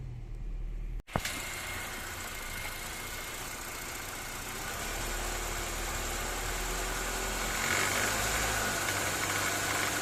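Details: 2014–2015 9th-gen Honda Civic CVT, in Drive with the brake held and light throttle at 1300–1500 rpm, before warm-up: even light rattling buzz at about three per second from the serpentine belt and tensioner area. The belt was worn after 5–6 years and 100,000 km.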